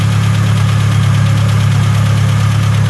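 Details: Chevrolet S10 engine at its first start, being left to lubricate and warm up: steady low drone with an even pulse of about three beats a second, no misses or knocks; normal idle.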